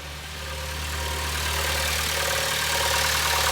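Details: 2011 Honda Civic running in Drive with the accessory belt removed: smooth, even running as revs rise slightly under load, no rattle or chirp; the earlier engine noise was traced to the belt tensioner.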